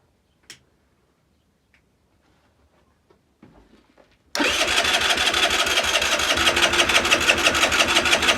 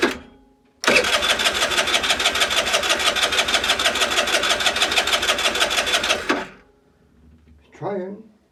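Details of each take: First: Longjia 50cc scooter after carb cleaning and electrical repair, no battery, cranked on a 12 V jump starter: quick steady starter churn about three pulses a second that never fires; cranks but won't start, though fuel and strong spark are later confirmed. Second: Longjia 50cc two-stroke scooter, run off a 12 V portable jump starter with no battery, after carb cleaning and electrics sorted, having had spark and fuel: it catches and buzzes evenly at a quick, steady beat for about five seconds before shutting off; runs properly.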